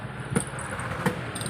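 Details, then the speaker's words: Top Mama electric stand fan running on speed 1: low hum broken by sharp metallic scraping about every 0.7 s; worn motor bushing suspected, fan to be disassembled. "yan siguro kung naririnig niyo ay para siyang nagkakayod ng bakal so sasabihin ko na ang problema niyan Pag mga ganyan ah pwedeng bushing Yan lang yung pinakaproblema niyan"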